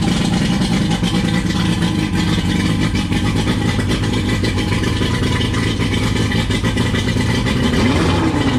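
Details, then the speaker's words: 1999 Johnson 115 two-stroke outboard on a 1999 Wellcraft 190 CCF, just started after a week sitting: strong steady smooth drone with a quick rev near the end; owner over-revved it briefly; healthy. "I just turned it off so you see it started up pretty good after about a week of not starting the boat and it started up pretty well"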